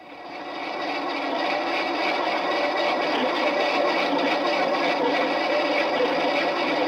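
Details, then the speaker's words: Car jacked up with the wheel spun by hand: a steady rough scraping rumble with a faint rhythmic beat. A worn wheel bearing. "now that scraping noise a worn wheel bearing makes when the cars jacked up and the wheels spun"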